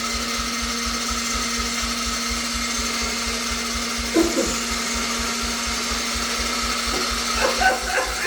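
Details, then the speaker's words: 1988 Yamaha YFM80 ATV during rebuild, first start attempt with new starter, carburetor fitted and new throttle cable: the starter whirs at a steady pitch and the engine spins fast and even with no compression. Cause not confirmed. "Nice, brand new starter. It sounds great, but there's no compression and it sounds terrible."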